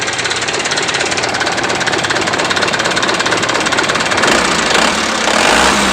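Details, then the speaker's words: Mitsubishi Canter diesel after fuel injection pump timing was advanced for more power, valve lash set to 40: hard, sharp uneven rattle about twice a second at idle, engine shakes slightly at idle but fine at high rpm. "jadi untuk penyetelan brandstop tadi sudah selesai ya memang bunyinya seperti hentakan seperti ini ya"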